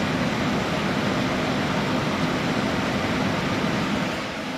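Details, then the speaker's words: Corsair H100 cooler with its two top fans at maximum while the CPU runs Prime under load at 4 GHz and 1.25 V: a steady, loud rushing whoosh with no rattle or ticking. Normal fan noise at full speed. "It's not quiet. Those 2 fans in the top, definitely the loudest thing, but as I kind of do need to remind you, it is on maximum at the moment."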